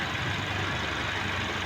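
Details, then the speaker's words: Car power steering pump after rebuild with new O-rings, interior cleaned of debris and fresh fluid, and rack seal replaced: smooth, quiet idle with only an even hiss and low hum; the former loud humming is gone; normal power steering pump. "Yung dati pagka umaandar yan may ingay na um gumaganon umuugong na ingay. So ngayon okay na siya."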